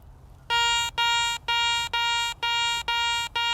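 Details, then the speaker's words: Garrett ACE 400i metal detector, 10 kHz, bench test over an old Roman bronze coin: seven crisp, evenly spaced high beeps about two per second over faint room hum; higher target ID number, higher tone, normal response. "higher number, higher tone."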